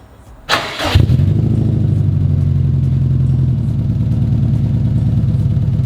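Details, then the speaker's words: Built 2005 Subaru WRX STI after engine repairs, cold start: starter whirr, then deep steady even burble with slightly high idle and no ticking; ticking owner hears later does not occur cold, cause unknown, possibly loud cams. "Now, just so you guys can hear it, there is no ticking right now. The ticking does not happen on cold start."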